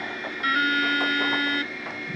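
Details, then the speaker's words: Working DEC VAXstation 2000 at power-on: a steady buzzing tone for about a second, then fading to a quiet fan hum; the normal startup sound. "that's the sound you should hear and we're off and running"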